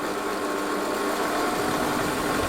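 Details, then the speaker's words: Lathe at about 450–460 RPM with tailstock removed, spinning an offset-weighted knurling-tool part: steady rumbling roar with constant hum and overall rattle as the out-of-balance workpiece shakes the whole lathe. "can you hear that that's no good at all the whole lathe is shaking"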